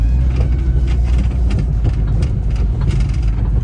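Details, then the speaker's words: Jeep WJ Grand Cherokee after front Rzeppa driveshaft replacement, driven on rough dirt: heavy low rumble with irregular dull clunks over bumps; driver believes it is the Rough Country suspension clunking, not the driveshaft, and judges the driveline solid. "oh man, the rough country does clunk a lot. Jesus, yeah, I don't think that's the drive shaft."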